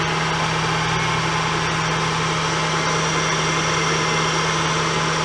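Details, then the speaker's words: 2003 Acura CL Type S after replacing the tensioner pulley: steady, even, quiet idle with no chirp, squeal or rattle; the noise is briefly gone, though it returns later, possibly power steering or the timing belt tensioner. "well the noise is gone that sounds good that sounds really good"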